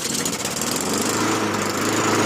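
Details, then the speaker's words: Honda HRR216VKA lawn mower, hot after a solid 15-minute run, restarted to rule out a bad ignition coil. It runs at a steady, even speed with no misses or surging. Owner is 99% sure the stoppage was bad fuel, with lots of trash found in the fuel tank. "All right, this ran for a solid 15 minutes We're going to fire it up again."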